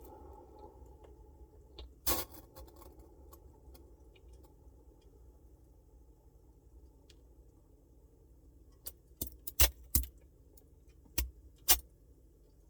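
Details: Samsung Bespoke refrigerator: quiet steady hum, then sharp clicks and rattles, a few alone and a quick cluster near the end; intermittent rattling, cause not obvious.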